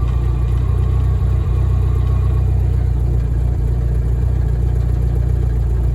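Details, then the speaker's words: VW-engined Deserter GT dune buggy reusing an old Sachs clutch, idling with clutch pedal pressed: lumpy idle rumble with a faint hum from a worn throwout bearing; engine to be pulled and bearing, pressure plate and disc replaced. "So you can hear that bearing just kind of humming away. Um, obviously not good. So that's a problem we got to solve with this."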